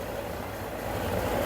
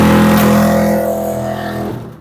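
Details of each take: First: Samsung 2023 heat pump dryer after repair of the thumping noise, blower checked running: even, steady whir with no thumping or rubbing. The blower now works fine and the machine makes no abnormal noise. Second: Samsung 2023 heat pump dryer that makes a huge noise and sometimes sticks its drum, started with no program selected: a loud, rough rumbling drone that winds down, with heavy vibration. Something is broken inside.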